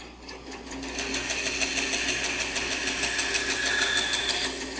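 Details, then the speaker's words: Band saw running with a light, steady ticking about three times a second; the blade's welded joint appears off, with the blade visibly moving slightly. "it sounds like the the the joint where the blade is welded together is and actually you can see the blade move a little bit so I would say that that joint is is off a little somehow"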